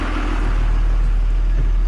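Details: 24-valve Cummins diesel in a school bus, around a boost test for suspected turbo boot/hose leaks and lift pump replacement: steady deep rumble with even beat, no misses, knocks or hiss; engine running properly.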